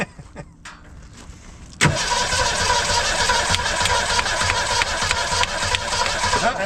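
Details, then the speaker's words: 1962 Ford Falcon wagon, 200 cu in straight six believed from a 1966 Mustang, sat over 20 years, new fuel lines and filter, first start: brief crank, catches and runs ragged only on poured-in fuel; no fuel in carburettor, not drawing fuel. "carburetor hey yeah well why is there no fuel in the carb"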